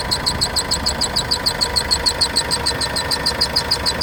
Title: corsa my 2013 1.3cdti strange noise